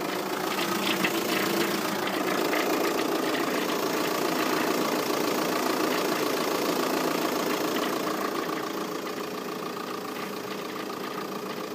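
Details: VW Passat 3C 2.0 TDI diesel at idle; steady rhythmic knock about three or four beats per second over the clatter, origin unknown to owner; engine noise at idle.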